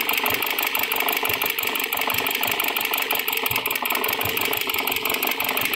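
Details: Dodge Journey 2.4 with replaced engine, computer and harness: uneven, stumbling idle with irregular ticking pulses. Scope showed an inverted ignition trigger, and swapped brown/white wiring was suspected and changed at cylinder three.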